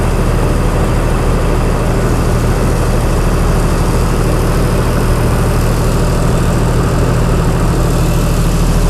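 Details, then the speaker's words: Chrysler 225 Slant 6 generator engine with new Holley Sniper EFI warming up, coolant 131°F; generator voltage regulator disconnected; very quiet idle, deep even low rumble, no knocks or ticks; normal idle. "okay it's getting there man it's so quiet of course it's only an idol"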